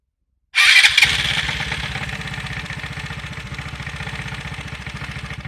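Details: Three-year-old Piaggio MP3 Yourban 300 scooter, battery checked, starter motor checked, new starter relay: starter bursts in, then even pulsing about four a second; only starts sometimes, and the owner measured the button feeding the relay just one second instead of six when it fails.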